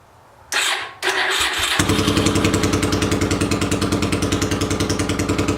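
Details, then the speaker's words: 800cc engine in a homemade pulling tractor, first test run in neutral with the air box and half the carb covers fitted: starter whirr, then it catches at once into a deep, steady, even rumble. Normal running. "it sounds much better with the air boxes on or air box and half a half of carb covers just really listen to that rumble"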